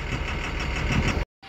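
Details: Tata 2518 BS4 tipper diesel with complaints of black smoke, tractor-like knocking and white smoke; a hard, rapid knock rides over the rough idle at a steady rate.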